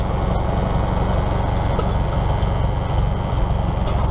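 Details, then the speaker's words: 1953 Farmall Super M tractor with a loader just swapped over and plumbed in: steady low rough drone over idle with an even buzz underneath as the loader hydraulics are used; hydraulic pump buzzes under load, cause unclear. "well it works the only thing that concerns me is the hydraulic pump buzzes as I use that"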